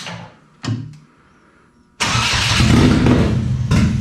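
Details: GM Ecotec-swapped Exomotive Exocet autocross car, first start: a brief crank, a pause, then the engine catches and settles into a steady idle; it starts and runs normally.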